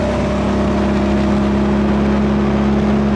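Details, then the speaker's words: Nissan 240SX accelerating onto the freeway: loud, raspy drone with a steady buzzing edge from an exhaust leak. Rattling is also present; new exhaust planned. "Get on the freeway. I really get on the freeway. Hell no. That exhaust leak has to go."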